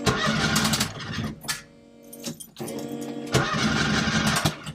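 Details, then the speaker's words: Ford ST170 engine in Mk1 Escort, first start attempt on ME221 ECU base map, crank and cam synced: starter churns in uneven bursts with weak firings that never catch; fuel pump was switched off, spark initially suspected. "Seems like I'm not getting spark, to be honest. I didn't have the fuel pump on. Well, something's happening."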